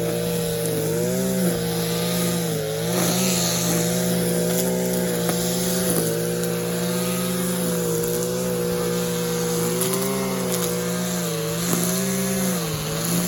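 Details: Stihl KM94 RC combi strimmer powerhead after rebuild with new bearings, seals and carb work: steady, even buzz with smooth light throttle blips and no knock or rattle; running well.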